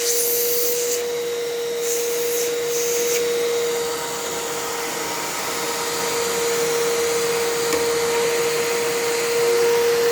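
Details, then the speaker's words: Fantom Fury vacuum after brush roll swap: steady vacuum roar with a constant mid-pitched hum; brush roll sounds bad while motor bearings sound okay, unit seems physically louder than another Fury; noisy brush roll. "oh that brush roll that sounds so bad"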